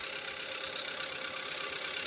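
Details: 2015 Kia Soul at idle: fast light even ticking that speeds up with revs, seeming from the left or back side; dealer called it normal, later diagnosed as piston slap scoring the cylinder walls, engine replacement covered under warranty.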